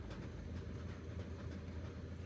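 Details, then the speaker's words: Ford Transit Connect diesel at idle with the clutch pedal pressed: rough uneven rattle and it won't go into any gear; likely failed concentric slave cylinder or worn-out clutch. "oh that sounds bad I don't know if you guys can hear that it just won't go in gear in any gear in fact so that tells me the very common issue in this vehicle which is the concentric slave cylinder"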